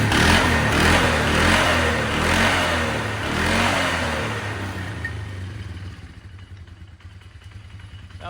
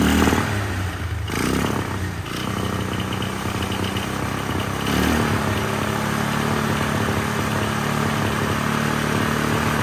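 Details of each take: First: 1999 Polaris Sportsman 500 single, after new fuel pump, carburetor adjustment and airbox refitted: even steady thumping about 150 beats a minute, running smoothly; brand-new clutch has a slight rattle, cause unknown. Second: 1999 Polaris Sportsman 500 single-cylinder ATV after fuel pump replacement, first start on temporary tank without airbox: lumpy, uneven stumbling run instead of clean idle; rough running, carburetor adjustment planned, cause unconfirmed.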